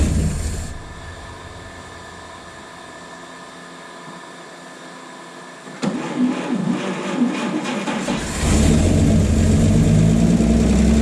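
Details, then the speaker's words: 1951 Chevy 1430 pickup inline six, formerly seized, fed from a jerry can with idle turned up, replacement fuel pump suspected bad: six catches and settles into steady, even idle, picking up smoothly when idle raised; normal idle. "oh yeah we have gone from a stuck motor to uh well it runs pretty good"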